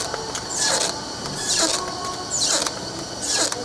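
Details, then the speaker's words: Pace Converting Pacer label converter with ratio station and gap separation, ratio lowered to about half: a sharp high squeak repeating about once a second over machine clatter as parts straddle two liners at once because the gap ratio is too low. "there are limits so how long your parts can be because they are going to be on two liners at the same time as you can hear it squeaking"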